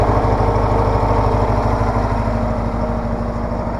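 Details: Case 446 garden tractor with an old Onan twin, started cold at about 35°F right after an oil change and new E3 spark plugs: a steady putter at idle with an even beat and no misses or pops, running cleanly.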